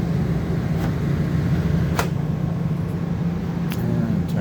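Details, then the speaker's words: 2019 Micro Lite camper ducted rooftop air conditioner running with ceiling vents open: steady low hum with even airflow, no rattles or cycling clicks; running normally. "If you want the air to blow directly down on you, just open these vents up, and then now it'll come straight down as opposed to through the ductwork."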